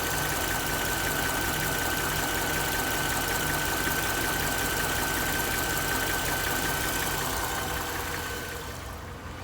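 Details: Mercedes-Benz GL 500 with M273 V8 at 72,500 km, idling smoothly with a faint regular knock about three per second over a thin steady whine; source not pinned down.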